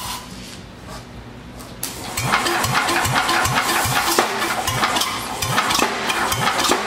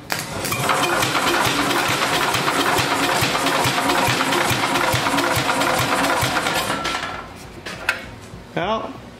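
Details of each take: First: Vintage Wisconsin single-cylinder engine, revival attempt, on floor: hiss for two seconds, then catches and settles into a steady even chug of about two and a half beats per second, running well. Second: Vintage Wisconsin engine during a compression test: slow, labouring crank with heavy uneven thumps about three per second and the engine never catching. Owner suspects the battery is dead or the engine is struggling. Cause unconfirmed.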